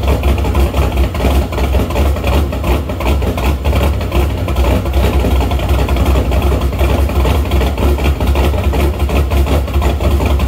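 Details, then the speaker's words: Shelby after new MSD Street Fire 8mm plug wires, boots and plugs: deep, uneven, irregular loping idle, rich until revved though it drives fine; owner suspects an ignition problem, possibly distributor rotor, cause unconfirmed. "it runs and drives great but it just idles weird and it just it runs rich until you rev it up and clear it out"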